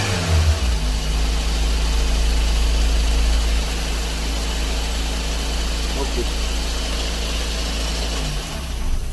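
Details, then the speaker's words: Daihatsu Dabbab with an electronic throttle body and the old sensor refitted: idle sits high and hunts, dipping midway, because the throttle plate is not closing fully and must be pressed shut; high idle. "अभी फिर भी देखि स् थोड़ा ज्यादा ही है दरवाजे को थोड़ा सही से दबा के रखना पड़ेगा"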